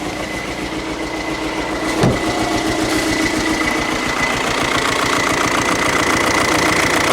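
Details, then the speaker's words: Skoda Superb after a broken injector bolt was extracted and rethreaded, first start: an uneven, lumpy idle with a steady tapping knock running through it. Valve or timing problem suspected. "it sounds a little bit mocky and i can hear some i don't know hear some sort of noise going on first of all i thought it's like sound like a bit of a vows problem timing problem"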